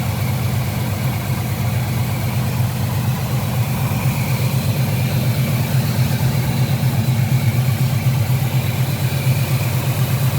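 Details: 1976 Chevrolet Camaro idling: deep steady idle, even low beat around two pulses a second, no ticks or rattles; sounds healthy.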